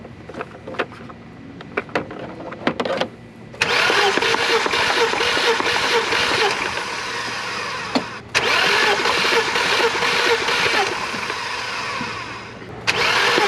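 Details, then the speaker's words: BMW E36 inline-six with crank no start despite spark and fuel, oil added to cylinders, fuel pump fuse possibly pulled: starter spins the engine in repeated long even bursts without firing; compression later measured above 150. "so i believe this makes part four of uh trying to get my e36 to start just still kind of facing that crank no start issue i have spark i have fuel and still no start"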